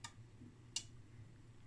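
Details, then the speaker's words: 1968 IMPO dual 25V 1A lab power supply under a 900 mA load: at exactly 9 V the relay clicks crisply three times over a faint mains hum, normally switching between transformer windings. "so at exactly 9 volts is this relay see here's the the relay is activated and that means of course the voltage from the Transformer we take two different windings"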